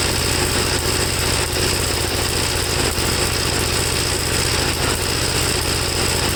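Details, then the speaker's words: 1954 Gravely tractor single-cylinder, hot, after cleaning second carburetor, choke off, seemingly flooded: chugging idle with uneven beats and occasional heavier thump; owner suspects running too rich, plug black and looking fuel-fouled, even when leaned out stalls. "i don't know to me it's just running too rich no matter what i do and it can't be that both carburetors are doing the same exact thing"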